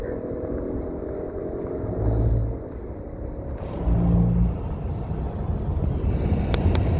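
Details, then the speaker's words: Brand-new 2020 Toyota Highlander Platinum at 2,286 miles, driving at 75 mph: a steady low roar and rush that swells with gusts, from wind at both front windows, worse on the driver's side. The dealer knew of no TSBs. Excessive wind noise at highway speed. "uh right now i'm going to speed limit which is 75 miles per hour and the wind noise is pretty bad"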